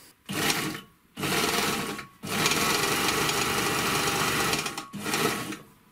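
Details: Three-thread GM C1D overlocker after cleaning, lubrication and servicing, sewing test fabrics including thin knit. Short bursts of fast, even stitching with smooth starts and stops and no knocking mean it is stitching normally.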